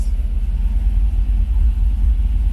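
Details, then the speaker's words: 1980 El Camino, 5.3 Vortec LS swap with T5 transmission: fuel pump now primes after replacing a blown 10 amp fuse, which lost power when the alternator was wired to the battery; deep, steady rumble with no misfire, normal running. "yeah you guys hear it it's primed up so that's all it was was the fuel pump yeah a little fuse"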